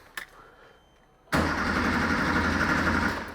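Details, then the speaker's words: Abandoned 1980s Porsche barn find, first start attempt: single click, then the starter churns the engine at about three pulses a second without catching; fuel pump relay clicking oddly, relay swap did not help; cranks but does not start. "can you hear the fuel pump I can hear the relay it sounds like the relay is making a funny clicking noise"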